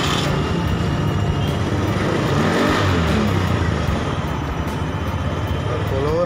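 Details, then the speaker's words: Honda Beat FI/Vario FI scooter after fuel pump (rotak) replacement: fuel pressure back to 40–41 PSI (normal 42, was 30 at idle), single-cylinder idles steady and even with no surging or misses; normal idle. "Hai coba lepas kosmetik putaran langsam stabil di situ jadi aman"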